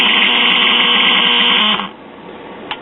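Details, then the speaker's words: Circa 1938 Emerson battery portable AM tube radio, five-tube chassis: steady piercing squeal from the speaker, no stations, then drops out; oscillation caused by an open electrolytic bypass capacitor, confirmed and replaced. "all right there's one thing i want to check and that's that electromagnetic bypass capacitor if it opens up it can cause that yep that's the problem"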